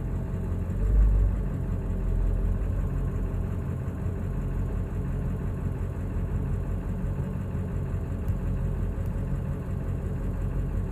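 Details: 2000 7.3L diesel truck idles rough, with an uneven deep rumble, when coming to a stop; ICP sensor changed, IDM swapped with no change, oil and fuel filter just changed.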